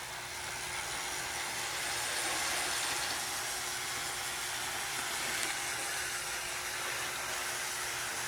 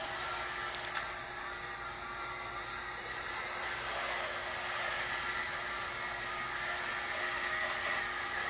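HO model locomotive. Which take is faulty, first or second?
second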